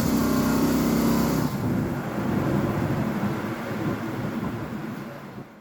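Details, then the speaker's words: Carbureted truck with a distributor that cured the backfiring and popping: steady idle, then on pull-away the engine stumbles and bogs briefly before driving off; hesitation on acceleration, suspected carb issue, not confirmed. "see if y'all can hear the hesitation when I take off hear it"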